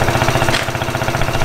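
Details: Japanese 50cc quad that sat for years, started with a drill after carburetor cleaning because its starter clutch failed: small single runs on its own with a quick, even putter and steady pulses, no missing. Normal idle.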